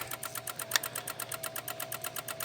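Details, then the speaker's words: 2016 Honda HR-V no crank no start, brake pressed: rapid even clicking around eight per second with no cranking as relays chatter, settling when the engine harness is touched; traced to a missing engine ground. "It's still doing weird stuff, but all I did was touch down there. So, we got we got something going on."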